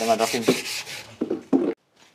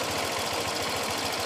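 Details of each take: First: Honda Vario 125 scooter, brought in with the overheat warning light on, owner reported a rough engine noise, fault traced mainly to the radiator: after handling noise the engine catches about four seconds in and settles to a steady, even idle with no knocks. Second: Honda Vario 125 scooter, engine still hot with the overheat warning light on, owner reports a rough engine noise: harsh, rattly, coarse pulsing at fast even beats; rough mechanical noise, cause unconfirmed, engine shut off quickly for safety.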